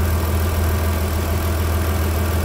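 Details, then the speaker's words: 2003 Mitsubishi Pajero NP 3.8L V6 after repair, codes cleared: deep steady idle, even low rumble, no stumbles or surging; RPM good, no hesitation. "okay guys you can see now the RBM is all good sky is running fine no any hesitations"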